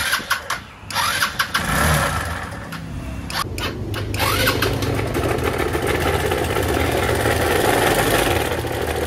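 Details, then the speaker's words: A noisy Rusi Rapid 150 scooter engine starts and settles into a harsh, gravelly running noise that seems to come from the head; a worn camshaft bearing is suspected from the sound. "Medyo mahirap kasing mula pero sa tunog niya mukha siyaang ng camshop [Musika] bearing"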